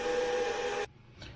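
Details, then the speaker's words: Goal Zero Yeti 6000X portable power station charging from 0 to 100% through its power supply unit: a steady whirring hum with a couple of fixed tones that cuts off abruptly. The supply fan is noticeable but not critical; normal charger fan noise. "блок живлення ось цей шум можете оцінити шумить але не прям критично"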